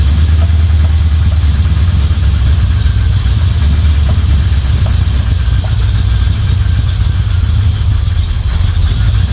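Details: Chevy 350 small-block V8 in a Toyota Land Cruiser HJ75 Troopy, after refitting rocker cover, chasing a valvetrain tick: deep steady idle rumble, no ticking or misfire; sounds pretty good.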